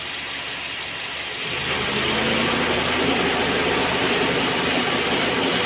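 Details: Honda Jazz at idle: engine shakes, turning lumpy and uneven when the automatic aircon fan cuts in; idle misfire traced to a failing ignition coil.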